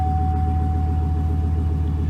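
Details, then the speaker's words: 2006 Chevy Silverado 1500 4.8 V8 just after oil pressure sending unit replacement: deep even idle rumble with a faint steady whine, no knocks or misses, building 40 psi oil pressure; normal idle. "so now it's gonna start it up and hopefully we should build oil pressure hallelujah"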